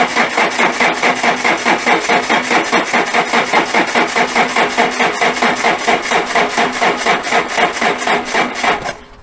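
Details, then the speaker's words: Alfa Romeo, cranked after sitting a week during shock absorber and suspension work; slow, labored cranking about two strokes a second for nine seconds, no start; weak battery suspected, not confirmed. "So let's see, after 1 week of doing nothing, if the car's battery is any good."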